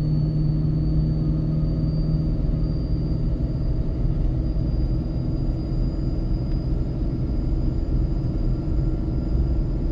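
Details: Ford 6.7 Powerstroke with MPD compound turbo kit, heavy load downhill in second gear about 35 mph on third of four tunes: a deep, steady diesel rumble at a constant low note as the exhaust brake holds evenly, harder than stock. Normal exhaust brake operation.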